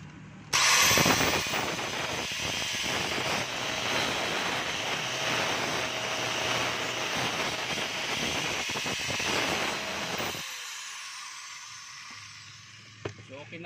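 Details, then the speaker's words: DeWalt DWE8100S 4-inch grinder after replacing its worn gear and pinion, bearing and carbon brushes: smooth, steady high whir with no grinding or rattle, then a clean spin-down; the old gear noise is gone. "okay na rin po, pati yung ingay niya mga kabay, wala na po."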